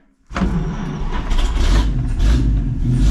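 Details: 1951 Chevy pickup, 6-volt points ignition, abandoned 40 years in a farm field: catches within a second, settles into steady, even, deep idle, oil pressure rising, no misses or knocks; normal start and idle.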